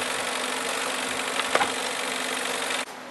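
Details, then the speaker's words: PS3 Slim CECH-2002x 120GB Blu-ray drive unable to load or eject; steady hissing whirr with faint irregular ticking, then cuts off, jammed discs grinding the mechanism. "I'm not sure whether you can hear this sound a PlayStation 3 Google Drive is making these these this noise so there are some issues with the ps3 Luna graph"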